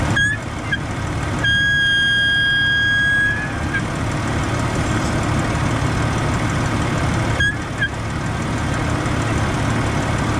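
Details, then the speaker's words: Jeep at idle, brake pedal pressed: steady high whistle near 1.7 kHz for about two seconds then fades, from power brake booster; owner suspects check valve, vacuum leaking past old grommet. "Alright, so I have this whistle coming from my power brake booster. I believe it is the check valve, which is right here."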